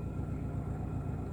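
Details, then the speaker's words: 1973 Toyota Corolla, just driven about 500 km from Medan: quiet, steady, even low hum at idle after an easy, light start. Normal idle. "Hai kedengaran guys jadi dari apa ya dari kita mulai start mesin itu mesin itu masih terasa ringan aja gitu ya masih terasa gampang aja hidupnya gitu"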